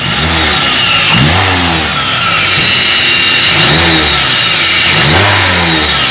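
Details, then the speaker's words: Toyota Avanza with a rough whining engine complaint on acceleration. As the engine revs, a thin high whine rises with speed, loudest at the upper idler bearing, which was then replaced. Idler pulley bearing whine. "kita jelas Hai suara desingan terdengar dari judul bearing atas yang paling kencang"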